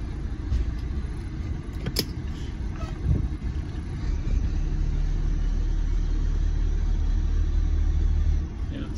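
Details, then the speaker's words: 1990 Monaco Crown Royale diesel-pusher motorhome on a test drive, forward and reverse: steady, even low diesel rumble pulling smoothly under load, no knocks or misses; responsive, normal running. "all right so it appears to go really good uh forward and it went good backwards we'll try it one more time"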